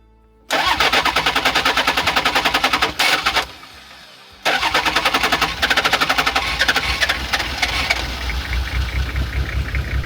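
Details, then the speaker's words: DIY Land Cruiser camper diesel with mechanical fuel pump, after running out of fuel and air-locking; hand-pump priming failed, so cranking draws diesel up: rapid cranking chatter, pause, then uneven spluttering that stumbles before catching; hard start after fuel starvation. "cranking it at this point had been just enough to clench it and allow the mechanical fuel pump to pull up diesel from the tank, letting the old beast splutter into life once again."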